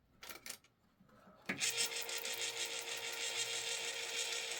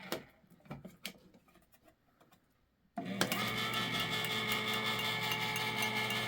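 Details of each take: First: Spare electric can opener running with its housing open: a couple of handling clicks, then a smooth, steady high-pitched whir with no grinding. It runs normally, with no burning smell. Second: Electric can opener, at least 40–50 years old, cutting a can with its housing open: quiet clicking, then a loud, steady high-pitched gear whir and grind under load. Worn or dry gears are suspected, and gear oil is planned.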